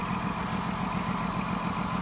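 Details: 2006 Ford Taurus 3.0L with codes P0305/P0316; cylinder 5 dead and its plug oil-fouled; steady rhythmic stumble at idle; misfire from a failed fuel injector.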